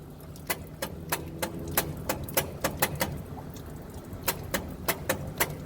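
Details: Old truck engine, cranked with choke set and gasoline poured in: slow, uneven starter chugging about three pulses a second, never fires. Cause found to be the bad original/old ignition coil; a borrowed coil gave spark. Crank, no start.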